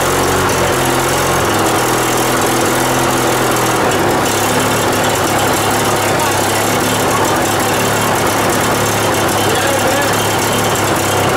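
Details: Riding mower, single-cylinder, started after starting fluid was sprayed into the intake and the air filter refitted: the putter settles into a steady idle with no knocking or misfire. It runs properly.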